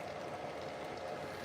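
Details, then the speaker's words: High-flow 3D printer printing clear PETG: fast, irregular crackle and tiny pops over a steady hum as moisture boils out of wet filament in the hotend. "this filament is a little bit wet so you can hear the bubbling and popping"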